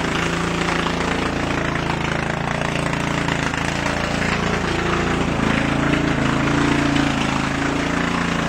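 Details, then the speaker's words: 2000 Murray lawn tractor with Briggs & Stratton 14.5 hp overhead-valve I/C Quiet engine. Loud, coarse but even single-cylinder chatter at about four beats a second, holding steady. Owner notes it is very loud and sometimes flames from the muffler. Normal running. "This thing's very loud, and sometimes you can see flames shooting out of the muffler."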